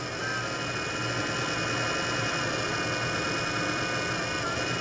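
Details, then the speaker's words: Worn cooling fan from a Wanhao Duplicator i3 / Monoprice Maker 3D printer. Constant high whine with a coarse low buzz from the worn bushing letting the shaft rattle; fan unbalanced, and the noise stops after about five minutes, possibly as the metal expands. "it makes so that you actually hear it now after about five minutes this will stop it'll start working i guess that's because the metal inside expands and holds the shaft in place"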